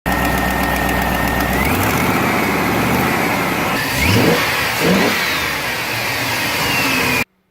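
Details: 2001 GMC Sierra 1500 HD V8 at idle with broken exhaust manifold bolts: busy, rough ticking edge, then two blips. Exhaust manifold leak suspected, fixed with a Dorman manifold clamp.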